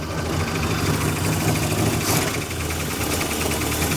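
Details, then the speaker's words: 1974 Dodge Monaco big-block V8, automatic, first start after sitting years; lumpy uneven idle with a heavy misfire that comes and goes; owner suspects timing or spark plugs, rules out the plug wires. "So we've got a pretty heavy misfire. So it could be maybe timing, maybe the spark plugs are kind of not good."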